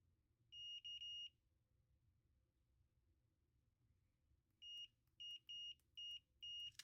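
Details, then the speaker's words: Nintendo DSi XL new volume buttons checked with a multimeter on continuity before installing: clean high chirps with each press; switch contacts close properly, buttons good. "That one's good. both chirped at me when I was pressing the buttons."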